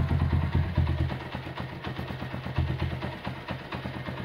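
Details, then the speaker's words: 1977 Honda CB100 K3 after engine refresh, first start at low idle: head sounds smooth but uneven clatter from the middle of the engine, about two knocks a second; suspected crankshaft or clutch. "Head juga suaranya halus. Ada suara di bagian tengah, kemungkinan keruk as atau mungkin kopling."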